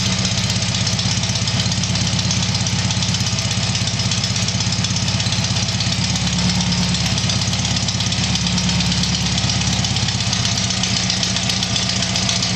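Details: Tiger-1 engine (Bill's) after rebuild, steady loud even idle with a constant low beat, no knocks or misses; normal idle.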